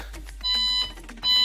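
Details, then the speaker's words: Glide Care G-6R electric wheelchair (dual 250W motors) just switched on: two high electronic beeps warning that motors are disengaged in freewheel; beeping stops once motors are put into drive. "so I just turned it on and you can hear it beeping and the reason it's beeping is because it's in free whe"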